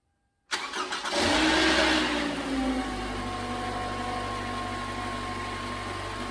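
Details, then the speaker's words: 2011 Toyota Camry 2.5L four-cylinder after an engine replacement: catches on the first try, flares briefly, then settles to a steady, smooth idle with no knocks or ticks; normal start and idle. "that sounds good that's always nice when uh starts first try usually there's something wrong"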